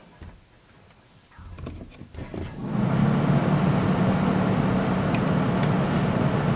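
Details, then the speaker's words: RV blower fan that had no power: after touching a corroded fuse and fuse holder, clicks then fan spins to steady even whoosh with low hum; normal operation, corroded fuse and holder contacts need cleaning. "all right all I done was touch that fuse and the Fan's working now as you should be able to hear works just like it should"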